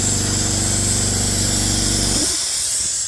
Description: Air was escaping from under the pressure switch. The problem was the faulty UNLOADER VALVE from the exhaust line.